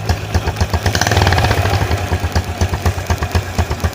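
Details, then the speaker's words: Honda Blade 110 motorcycle after replacing bent valves (caused by a loose cam chain) that had killed compression: small even ticks about four a second, smooth idle with no knock or misfire; engine normal again. "Teman-teman dengarkan suaranya, ini masih sangat mulus ya."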